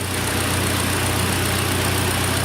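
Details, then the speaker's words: 2013 Hyundai Elantra, AC recharged, engine idling warm with fan running: steady smooth idle hum with fan hiss, quiet normal compressor, no knocks or squeals; hot side getting hot, cold side cold, AC working normally. "Hot side getting hot, cold side is cold."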